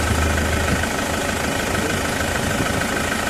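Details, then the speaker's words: Isuzu Traviz diesel checked for suspected blow-by after oil spray with the oil cap removed: steady, even low-clatter idle, no puffing or hiss; airflow at the opening judged normal, engine healthy. "Tsaka yung hangin dito na lalabas malakas. Mm >> normal lang >> normal. Oo normal lang ganon."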